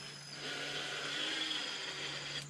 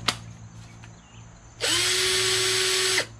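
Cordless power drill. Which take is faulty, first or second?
first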